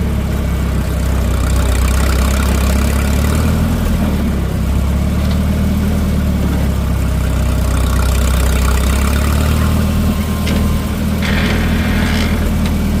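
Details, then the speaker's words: Minneapolis Moline M670 tractor, first drive after rebuild: deep, steady low rumble with even beat and no knocks, ticks or misses; runs smoothly, normal running. "Well, it sounds like it runs pretty good."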